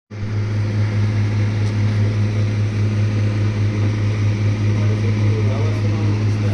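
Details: Blue Star deep freezer running: a loud steady low hum with a coarse buzzing rattle, unchanging and far noisier than normal.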